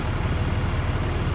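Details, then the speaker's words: 6.4 Cummins-swapped truck with 5R110W transmission, just reinstalled after replacing the torque converter whose locked low-stall clutch stalled the engine: steady low diesel thrum in neutral, even pulsing, no surging, knocking or stumbling; normal idle. "All right, so I just finished putting the tranny in, because I had to replace the torque converter. So we're in neutral."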